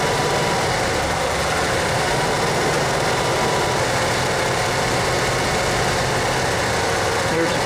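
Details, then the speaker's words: 1987 Ford F-150 inline-six, idling after a cold-morning start and warm-up while reading trouble codes; uneven unsteady churn, noisy power steering; rough idle, cause not yet found. "code anyway as you can probably hear it's running a little rough that's why i'm doing this power steering's still noisy"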